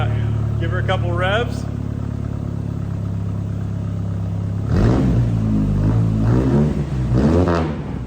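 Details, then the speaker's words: Dodge/Plymouth Spirit after new exhaust fitted (old muffler suspected holed), two throttle blips on the lift; deep even exhaust note with slight rasp, expected to lessen once long tail section is cut off; normal. "I think it'll get less raspy when we cut this big long chunk off but I'm happy with that"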